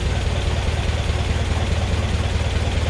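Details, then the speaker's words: Massey Ferguson 35 Deluxe tractor after carb rebuild and throttle butterfly fix (previously idled fast and lean), no load: very slow, deep, lumpy idle at about two and a half beats a second, steady without stalling; normal slow idle. "it goes right down to idle and it almost sounds like it's gonna stall but it's not everything's adjusted right that's just how slow it is"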